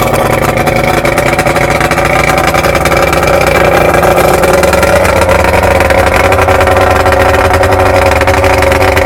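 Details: 1993 Evinrude 70 HP outboard, first start after a full powerhead rebuild (0.030 over piston in #3, replacement crank, new gaskets, seals and impeller), water on: loud, steady two-stroke drone at an even pitch with no knocks or misses, running cleanly.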